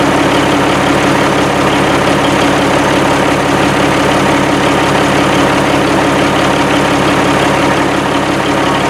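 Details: 1987 Kenworth T600 3406B diesel idling at its first start after over 20 years sitting in a field: deep, steady idle with an even pulse and no misses or knocking; it runs and sounds good with excellent oil pressure.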